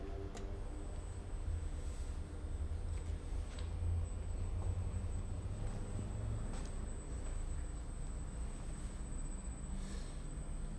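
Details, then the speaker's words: Induction motor driven by a variable speed drive in a wind-turbine emulator, coupled to a permanent-magnet synchronous generator with an almost purely inertial load, starting on Hand On: a low, soft hum with a faint steady high drive tone; normal motor run. "Ahí vemos cómo comenzó a mover el motor. El motor está conectado a un generador, así que la carga es casi totalmente inercial."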